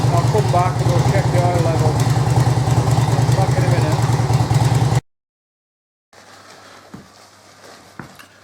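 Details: 2005 Harley-Davidson Electra Glide 88ci V-twin, about 2500 miles since rebuild, idling in neutral after oil service: lumpy even beat about three pulses a second before shut-off; normal healthy idle.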